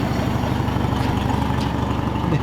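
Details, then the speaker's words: Lincoln V12 engine idling with a quick, even puffing tick from exhaust leaks, mainly around the muffler area, with a little smoke from the tailpipe. "y that sounds pretty swe unfortunately you can hear all the fle too yeah you can hear all the exhaust"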